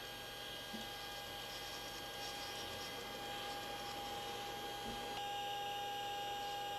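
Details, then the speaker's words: Repaired Apollo Lunar Module FDAI attitude indicator, ball driven by repaired servo amplifier: quiet steady servo whine with a rough, gritty edge as the ball turns; sounds grindy, cause not stated. "So That sounds grindy. yeah."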